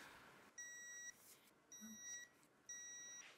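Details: 2016 Yamaha YXZ1000R bottom-end rebuild for a turbo build: three half-second high beeps about a second apart in a quiet room, as the torque wrench signals each crankcase bolt (1–8) reaching 11 ft-lb.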